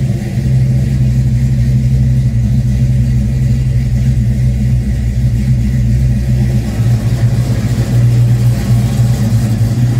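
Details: Fox Body Mustang 351W stroked to 358 with Comp XE276HR-12 cam, Edelbrock Street heads, ported Cobra intake, 30 lb injectors, about 20° base timing: loud deep lumpy idle with steady uneven loping pulse; owner unsure whether timing relates to rich running.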